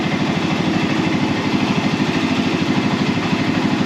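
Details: Arctic Cat Prowler engine on a stand with temporary wiring, being run to purge air from the coolant system, thermostat still fitted: steady, even idle with a smooth low throb and no knocks or misses; normal idle.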